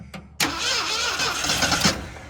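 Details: 1979 Ford F350 dually, 400M small block, automatic, sat 22 years in the woods; new starter and battery cable fitted after slow cranking: brisk cranking about 1.5 s, winds down without catching, no start.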